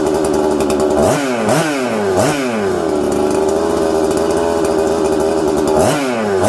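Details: Husqvarna 266XP two-stroke chainsaw first run after rebuild, new flywheel-side seal plus sealant fixing a leak: blips up and down unevenly before settling into a high buzzy run; carburettor still needs dialing in.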